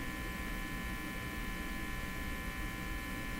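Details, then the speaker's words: National HRO-60 communications receiver, heard from its speaker while tuning: a steady low buzzing hum with faint hiss and no signal. The hum source is not yet found, and it is unclear whether the buzz also shows on the scope. "Now I'm not hearing a thing out the speaker. Why is that? Just the hum."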